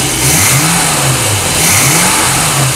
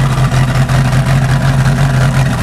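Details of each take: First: 1988 Crestliner Chevy 305 V8 with OMC King Cobra drive and electronic ignition, with blow-by on a couple of cylinders; quick rev blips then a steady even drone, starts easily. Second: Chevy 305 with OMC King Cobra drive in a 1988 Crestliner 25 ft boat, first start in years, steaming a lot, with good oil pressure. A deep idle with an uneven lope and periodic dips.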